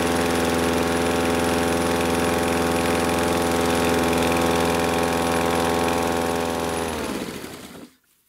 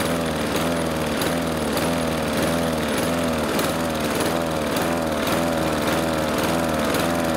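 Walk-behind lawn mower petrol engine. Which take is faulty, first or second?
second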